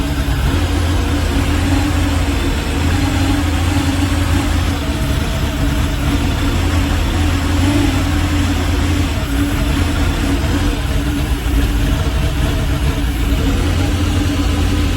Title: Malibu rough idle